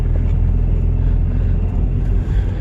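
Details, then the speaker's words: Turbo Honda D16 on E85 fuel, cold start, with a worsening blown head gasket. A deep, steady low rumble with slight unevenness and a couple of dips; it runs rough and sounds pretty bad. "yeah it sounds pretty pretty bad"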